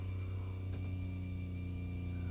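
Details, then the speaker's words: Rainman Modular 140L watermaker on a Hanse 460 yacht during auto flush: the fresh water pump pushes water through the carbon filter, with a steady low even hum and no surging or rattles; running normally. "the fresh water pump is now pushing the water through the carbon filter to flush the system."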